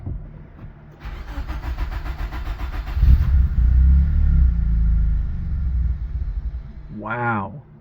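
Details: Nissan 200SX project car with starting spray: starter cranks, engine catches on the spray, runs rough a few seconds and dies; not getting fuel from a failed fuel pump.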